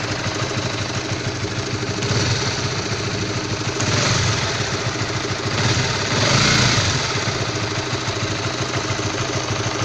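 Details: Stock Honda All New CB150R at cold idle: rough, uneven knock-like clatter swelling now and then over the single-cylinder idle, only when cold; source unclear.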